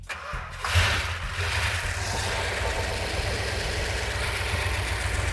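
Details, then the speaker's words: Rebuilt 340 V8 after sand was found in the engine, ballast resistor ignition: cranks briefly, catches cleanly and settles into a smooth, steady idle with no knocks or misses; normal start. "The engine sounds every bit as good as it did when it was on the engine run stand. That's fantastic."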